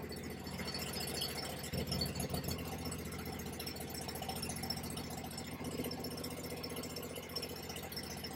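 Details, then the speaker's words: Bad Boy zero-turn's Kawasaki V-twin, rebuilt with parts from a 691 motor after a mower fire: even, steady chuff at fast idle with no misses or knocks, charging about 14 V; it runs healthily. "Oh, she sounds good. She sounds real good."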